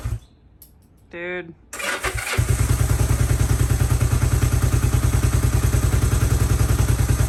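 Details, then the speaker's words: 1972 Honda CB450 twin, unrestored, fresh SAE 10W-40 oil, in neutral with choke on, very low on gas: short pause then fires straight up into a quick, even idle about three pulses a second; normal start and idle. "fires right up oh yeah oh so sweet"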